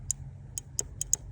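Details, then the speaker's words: BMW E28 at idle in cold weather: sharp crisp irregular clicks over a quiet engine hum; throttle position sensor idle switch clicking into idle mode normally. "But, you hear that clicking? That's it going into idle mode."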